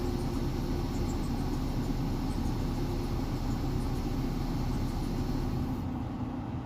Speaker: นี่นะครับคือตอนนี้เบาดับไปแล้วนะครับเครื่องไม่มีกำลังนะครับแล้วก็จะเบาดับไปเลยนะครับ